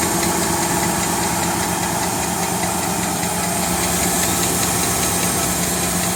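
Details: 2017 Nissan Titan SV V8 at idle: light, fairly quick clicking over a steady hum; source unclear.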